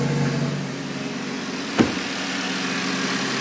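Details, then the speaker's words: Audi RS3 with a fully forged five-cylinder, first start after long storage with a new battery: a steady, even idle with a smooth low burble, no misfire or knocks. Dash shows many fault lights, but the idle is perfectly fine. "it's not misfiring or anything though it's running good the idle is perfectly fine"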